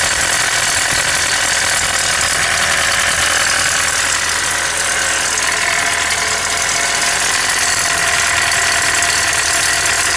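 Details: 1994 Nissan Hardbody petrol engine idling with a loose, uneven knocking under a bright, hissy running noise; engine knock.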